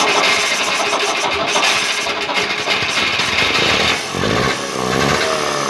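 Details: Trabant Tramp/Kübel two-stroke at its first start, smoking: a raspy, buzzy note that keeps running and picks up on the throttle, with no knocks or misses. Runs normally.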